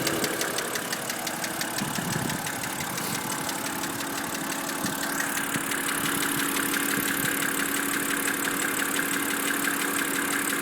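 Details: BMW N52B25 engine at idle: crisp, regular tick about three times a second over the engine hum, a knock of undetermined source.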